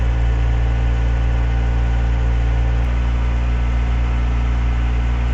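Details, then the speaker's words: Renault 17 TS with a rebuilt Weber 32 DARA 4T carburetor and automatic choke, cold: slightly lumpy fast idle at 1500–1700 rpm, running rich while the choke flaps stay closed and smoothing as they open. Target idle is 800 rpm. "Je sens qu'elle est riche que les volets tant que les volets de starter ne sont pas baissés. Là, vous voyez, commence à baisser donc elle commence à mieux tourner."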